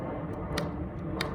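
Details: Replacement seat controller module for a Lexus LS430 whose seat would go down but not back up: two crisp single clicks about half a second apart over a low hum as the relays switch cleanly.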